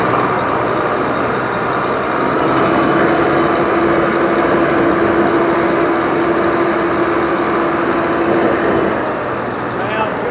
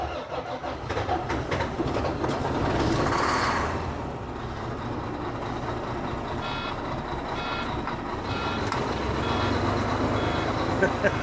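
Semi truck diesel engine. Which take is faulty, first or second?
second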